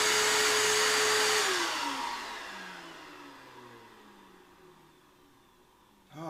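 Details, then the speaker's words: Shop vacuum during Cockshutt 90 carb and manifold removal: steady high whine that suddenly sags and falls in pitch as the motor spins down, cutting out as it is supposed to, probably full. "Oh, that's what a vacuum sounds like when it's supposed to shut off."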